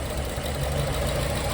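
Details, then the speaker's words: Coyote V8 swapped into a 2014 Expedition, first start-up: lopey, uneven idle with missing beats, probably running on about five cylinders. Pulling injector connectors made no change on three, so bad fuel is assumed to have killed those injectors. "So, we're not running on eight, but can only assume it's from the uh those three injectors being that fuel was so bad in the the engine."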